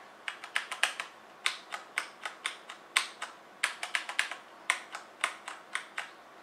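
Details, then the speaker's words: HyperX Alloy FPS Pro keyboard keys pressed in bursts, right arrow key giving a sharper crisp click than the rest, present on left and right arrow keys from day one; abnormal crisp click on arrow keys. "this is what the right angle sounds like you can hear like that crisp noise"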